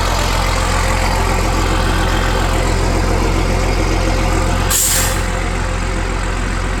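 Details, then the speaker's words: M1078 military truck converted to dump truck with new hoist and bed, straight-piped diesel at idle: deep, steady idle, even pulse about three per second, loud open-pipe rumble; runs clean, normal idle. "It's a straight pipe diesel sound. We all know what that sounds like."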